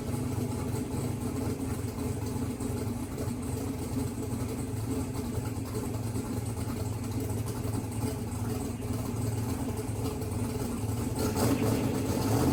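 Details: Mississippi Queen V8 after splicing a pulled-out CDI 600 wire; exhaust pipe very hot. Steady, even low idle rumble, no knocks or misses, settles smoothly. Runs good with good oil pressure; timing unverified, fuel leaks to seal.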